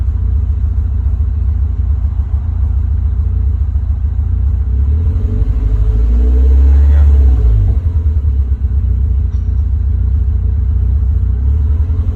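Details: Engine warm after reaching temperature, hard to start after being switched off, then idling: low, uneven rumble with the beat wavering and surging slightly; rough idle, cause not stated.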